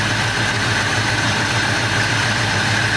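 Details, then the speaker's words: 1986 Chevy C10 V8, still cold, no choke, new Edelbrock AVS2 carb and intake, first startup after sitting 7 years: steady but slightly quick idle around 700–800 rpm, even with no stumbling; idle a little high. "Yeah. It's a little high. Where is it at? About 700? 700, 800."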